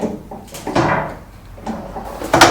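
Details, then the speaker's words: Citroen Relay camper van, creaky knocking from the rear suspension only on uneven ground, reproduced by jacking the body. Two loud creaking groans with a knock; owner suspects the rear leaf spring bushes, unconfirmed. "Right, I think it's the bushes on the rear leaf spring. Now you've got one static one and one swinging one."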